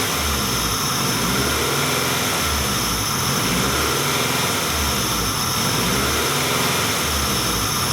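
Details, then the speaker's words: 1994 Acura Integra, 1.8 L DOHC engine, warm idle rises and falls about every two seconds, typical Honda-Acura surge; fixed by adjusting the cold fast idle valve. "This is a 1994 Acura Integra with a 1.8 liter dual overhead cam engine. And what we have is the typical Honda-Acura idle speed surge."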